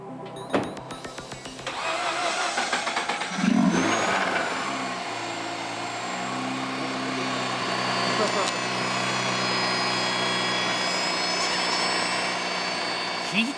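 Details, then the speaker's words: Mazda RX-8 rotary after a hand-ported engine tune and battery relocation, first start: fast idle with a thin, steady high whirring whine. No fault was found and the whine disappeared after a while; it is suspected to come from sitting unused. "The youngsters got little nervous to hear strange sound Are they ok? Is it broken?"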